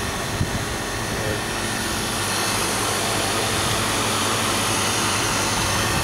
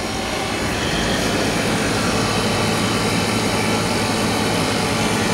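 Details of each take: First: Static refrigerated trailer condensing unit after cleaning dirty condenser, replacing out-of-spec run capacitor and oiling fan motor (compressor breaker had tripped): loud even rush of fan and compressor, no knocks or surging; running normally. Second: Static refrigerated trailer condensing unit restarted after resetting its tripped compressor breaker: loud steady roar with fan rush and low compressor hum, working hard under heavy load, liquid line hot; wrong B-type breaker, dirty condenser, out-of-spec run capacitor found.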